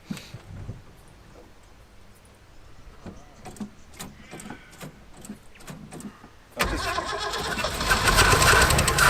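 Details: Land Rover Series 1, sitting for years: quiet clicking, then catches near six and a half seconds and settles into a steady, even run.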